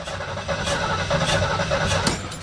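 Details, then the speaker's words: 1973 Ford Mustang Mach 1 cranking after a car wash: starter churns steadily for a couple of seconds but it never catches; moisture inside the distributor cap from spraying under the hood kills the spark. "okay I just took the cap off of the distributor and if we look inside can you see there's moisture inside of it so yep that's what we did"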